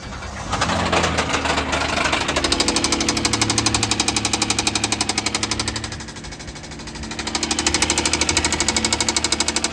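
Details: 2014 Kia Sorento 3.3L petrol V6 knocks hard and fast from inside, loudest when revved twice, then settles to idle; engine knocking, replacement under Kia recall advised.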